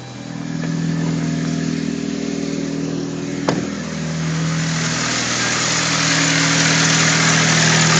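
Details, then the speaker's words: 2005 Saturn Ion Red Line with a bad timing chain tensioner, idling before replacement: fast busy rattle over the exhaust note, steady about four per second; timing chain rattle. "all right this is a 2005 ION Red Line with uh tensioner bad on the timing chain and I attempt to replace it"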